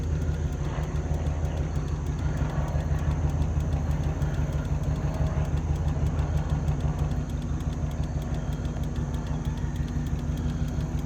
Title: The exhaust leak in the background says it all